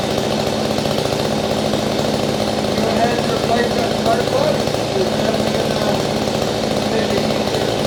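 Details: Small two-stroke digging-machine engine on a no-start repair, running with cleaned spark plug and air filter off: fast, even putter at steady speed without misses or dying; runs properly.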